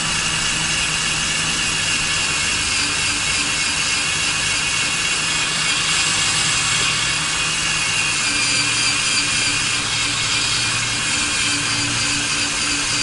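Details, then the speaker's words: Drilling a steel hole on a 2019 Ford F-250 Super Duty to fit a Torklift StableLoad, bit lubricated: even high-pitched whirring with no chatter or squeal; chirping gone, bit biting cleanly under steady feed. "And here the chirping kind of went away there. I'll apply a little bit more pressure again."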